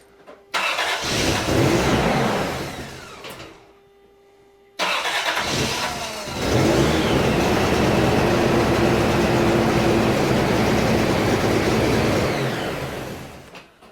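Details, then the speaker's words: 1990 Toyota 4Runner, after fixing a no-crank fault by adding a relay so the key wire triggers a battery-hot feed to the starter: brisk, even cranking, quick catch, clean rev and settle, cranks again strongly; now cranks every time. "so no matter how many times we try now it always cranks so that uh is a super good awesomeness to the whole equation"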